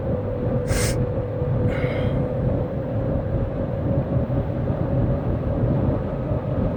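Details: 2007 Saturn Vue cruising: steady mid-pitched howl/whirring over deep road rumble from the rear differential; owner suspects bad diff fluid, not confirmed.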